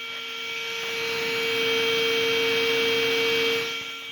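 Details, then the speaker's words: Homemade small jet engine built in Ethiopia: steady mid-pitched whine with airy rush that swells then sags, takes a lot of power to start, much quieter than it used to be; binding turbine rotor, needs loosening. "I need to get it a little bit looser. So I just want you to see that it takes a whole lot of power to start."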